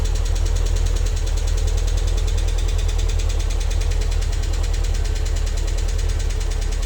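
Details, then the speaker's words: MG TF first start after head gasket, water pump and timing belt replacement, engine stood five or six weeks: fast light metallic ticking over idle from oil-starved hydraulic tappets, gone after about 10 minutes once oil circulated. "And just a quick note to say the horrendous tappity noise your tapping noise you can hear when I start the engine up. Uh that was the tapets."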